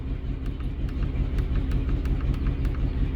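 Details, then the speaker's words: 2003 Chevrolet Trailblazer with a no-start, no codes and check engine light off: rough idle with a regular tick and stumble from misfiring coils. Coil-swap tests moved the misfire, confirming bad coils; clogged injectors were also cleaned. "Yo las cambié de lugar para ver si eran las bobinas, porque era la 6 primero la que fallaba y la 2. Entonces yo las cambio de lugar para verificar que sí estén funcionando, y sí, es la bobina la que no está funcionando, hay que cambiarlas."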